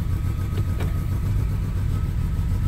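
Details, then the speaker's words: Mercedes-Benz W212 E300 petrol engine at cold start: uneven, lumpy idle with a faint thin whistle and heavy vibration, stalling on gear change until warm-up (~10 min); rough idle from intake manifold vacuum leak, variable flap stuck closed. "Động cơ hiện đang gặp rắc rối nghiêm trọng. Tôi cũng có thể nghe thấy một tiếng gầm"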